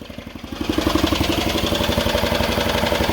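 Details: Old scrap Volvo engine run with oil and coolant drained, near the end before it stops dead: sharp regular knocks about four per second over rough running, heavy internal knocking; oil starvation suspected, not confirmed. Engine knocking.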